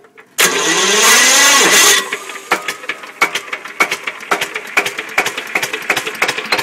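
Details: Listeroid Metro 6/1 electric-start slow-speed single-cylinder diesel in a 4500 W genset running at 740 rpm: a short starter whir, then slow, steady, even thumps about three a second. Healthy running.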